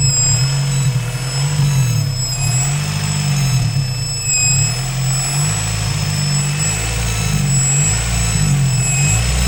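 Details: Honda B18C6 engine running with a steady high-pitched whine over a smooth engine drone, holding its pitch throughout; source of the whine unknown.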